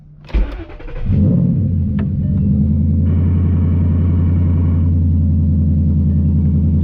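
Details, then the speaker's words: 2011 Ford Mustang GT (S197) V8, initial startup right after replacing all 8 spark plugs: brief crank, quick catch, then a steady, even idle with no misfire stumble. Seems a lot smoother; the coils are still to be done. "Seems a lot smoother."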